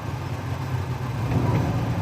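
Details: Petrol engine idling unevenly after sudden power loss while driving, RPM jumping and car shaking: lumpy, stumbling low beat; suspected one cylinder misfiring, owner suspects ignition coil or spark plug.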